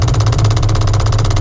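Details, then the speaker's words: Cammed, ProCharger-supercharged 5.4L 2-valve V8 New Edge Mustang GT at idle: rapid, even tapping about fifteen times a second over the deep idle; a loose part is jackhammering against a nearby component, confirmed as the noise source. "This is what's causing the issue. And that is 100% what that noise is."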